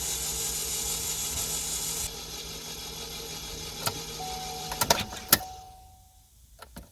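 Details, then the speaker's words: Salvage auction car possibly with bad clutch, key-on with swapped battery: raspy high whirring buzz about two seconds then cuts off, scattered clicks; sounds like starter not engaging or zero compression, source unclear. "I don't know what that is. Almost sounds like a starter, but it sounds weird. It's like the starter's not engaging, or we have absolutely zero compression."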